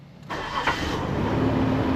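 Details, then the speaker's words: Nissan Xterra with a blown head gasket, sat about six months, started on a new battery: it catches quickly, then settles into a rough, lumpy, barely running idle with massive white smoke and a strong coolant smell. "That's rough. That's so rough. I am moving down to the shop right now. pretty much idling and leaving a massive amount of white smoke and it smells like coolant so bad."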